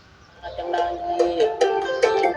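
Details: Horn loudspeaker with a line transformer, after repair of its horn driver and the magnet refitted: music plays loud, clear and bright with no buzzing, rattling or breakup. Normal playback.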